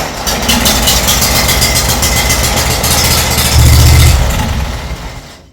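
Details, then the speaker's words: Massey Ferguson 1655 mower, Kawasaki FH680D twin, run briefly before a compression test; a cylinder is suspected to have dropped compression. Steady cranking, then a rough, brief catch and die-off with a chuffing edge; hard starting. "this is going to probably be a stubborn girl trying to get running but here we go"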